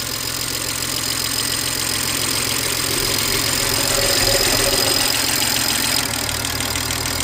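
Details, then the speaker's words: 2007 BMW 335xi twin-turbo inline-six, freshly revived with new aluminium valve cover and spark plugs: fast even light metallic tapping over smooth idle, traced to loud but normal injector ticking, all six firing. "Oh, okay, it was the injectors."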